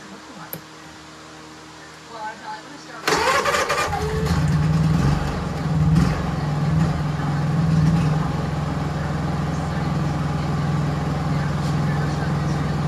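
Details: Honda EU3000is inverter generator after a Nashfuel propane/LP conversion kit install: after a few seconds of handling it catches and settles into an even, steady hum with no misses or surging; it runs normally.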